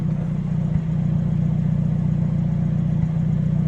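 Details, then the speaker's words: Hyundai Elantra N turbo four at idle, 1% throttle: a steady low idle with a couple of soft hiccup pops; the logs show timing jumping about 5 degrees on the softer pops and 10 degrees on the louder ones; the car was towed in. "Gonna get that hiccup right there, huh? The little pups, the softer ones are 5 degrees, and then the louder ones are 10 degrees."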